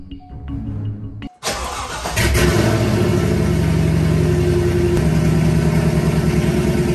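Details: C5 Corvette V8 first start after installing Speed Engineering headers and X-pipe (straight piped): cranks, catches, settles into a loud, deep, steady burble with an even beat; checking for leaks, none heard.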